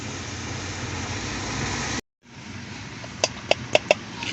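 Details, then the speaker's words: Mitsubishi Montero, about 2000 and 25 years old, AC ventilation blower motor noise: steady whirring hum with a few sharp light ticks. Dirt and leaves found, but the noise comes from worn blower motor bushings with shaft play; replacement or repair of the motor is advised. "este ruido este el juego el juego que tiene el motor los bujes por eso mismo hace ruido"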